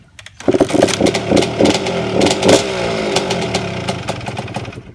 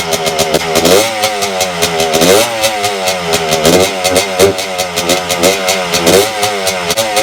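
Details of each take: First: 1992 Suzuki RM125 two-stroke dirt bike after carburetor cleaning and choke adjustment: fires first kick without choke, crackly popping settling to even buzzing idle; running well, muffler rattle noted. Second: 1992 Suzuki RM125 two-stroke after carburetor cleaning, mixture screw adjusted, choke off: crisp revs that stumble and bog at the bottom, running fine at higher rpm; lean bog, owner suspects an air leak.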